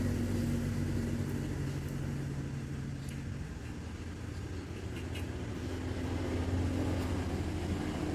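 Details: Honda Beat FI scooter that had total ignition loss, after jumpering the faulty Fukukawa regulator/rectifier (kiprok) wiring: smooth even idle with steady low hum that lifts slightly; running normally again.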